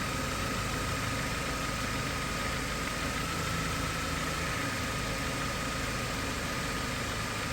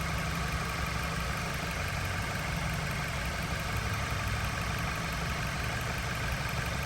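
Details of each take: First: 2013 Dodge Avenger with codes P0339/P0335 idling: brief stumble like a slight misfire each time the crankshaft position sensor signal glitches on the scope. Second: 2013 Dodge Avenger 2.4 L after crankshaft position sensor and thermostat housing replacement and radiator back-flush, warm at about 210–215°F waiting for fans: quiet, steady idle with an even low hum, no knocks, ticks or misses; engine sounds healthy.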